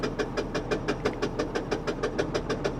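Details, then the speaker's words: Auction car with something detached, AC switched on so compressor drags the belt: quick, even chirp about six times a second over idle, belt slipping under compressor load; noise reduced, belt chirp suspected. "see when you turn this on the compressor kicks in but the compressor can't spin because the belt is"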